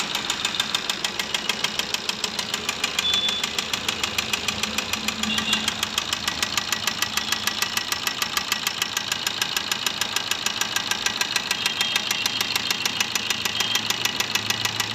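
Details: Maruti Ertiga diesel (Quadrajet) engine at idle: sharp regular knock over diesel clatter, about two beats a second; suspected crankshaft knocking, not confirmed.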